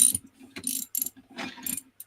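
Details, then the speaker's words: Riejoo Marathon 125cc Chinese motorcycle engine with repeated failures, removed and turned by hand: bursts of dry ratcheting clicks and a light whirr, something spinning wrongly; owner suspects a sheared bolt in the crank end, not confirmed. "so if i do this can you hear that spinning whatever it is that's not right it shouldn't be like that"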